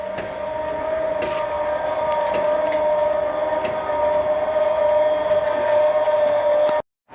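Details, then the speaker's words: 2017 Keystone Cougar 337FLS fifth wheel auto-level: steady mid-pitched electric pump whine for several seconds as the jacks lower, then a clean stop. The leveling system works normally. "see it's starting to come down now and then we'll bring down the stabilizing Jacks here in the rear"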